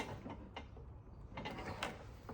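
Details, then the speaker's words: Honda Civic K20 race-car injector on a bench rig, supply about 12.8 V: faint crisp ticks, unevenly spaced, over quiet bench hum; the injector fires internally and cleanly, though not loudly. "Yeah, I can hear it now firing internally. So it's not loud by any means"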